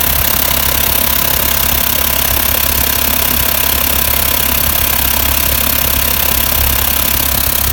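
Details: VW T4 diesel van idling with a rough, uneven ticking chatter mixed into the running note; the owner suspects the exhaust manifold, but the cause is unclear.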